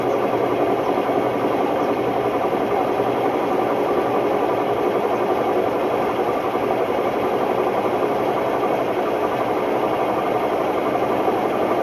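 Loud, constant rumbling roar at high spin speed, steady and harsh with no let-up; worn drum bearings.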